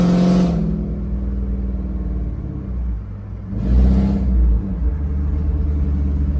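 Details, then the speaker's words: Ford Mustang 3V with a Gibson catless X-pipe, driving: a deep, uneven rumble that swells as the V8 pulls harder, rougher and louder than it should be. Exhaust leak; the owner plans to check that the O2 sensors are tight. "yeah for sure I I have a it's a leak it's for sure a leak because it's not supposed to sound like this"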